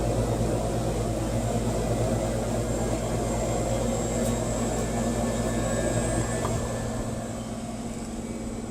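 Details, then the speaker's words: 30-year-old AC condenser fan motor re-oiled with light mineral oil after chirping returned 21 months later: even, steady fan hum with low drone settling quieter, no squeak or screech; motor running normally. "no squeaking or tripping so far and i think it actually sounds quieter getting quieter as i stand here probably that oil working its way in"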